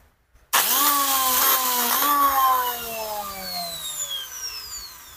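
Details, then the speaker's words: Makita angle grinder that overheats in use; motor whines up to full speed then winds down with a rough rattly hum; suspected worn armature bearing, wrong-size brushes also fitted. "Oke kemungkinan analisa saya adalah laker bagian sini tapi untuk memastikan kita akan membukanya dulu"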